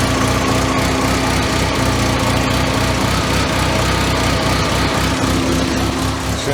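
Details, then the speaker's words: 1985 Merkur XR4Ti just after restart, upper intake reassembled, AC belt off; uneven, lumpy, loping rough idle with a faint hiss, misfiring; white smoke the owner suspects is coolant burning after he filled the cylinder with coolant; loose throttle cable. "should leave that in the belt there it's kind of idling like a b right now but long"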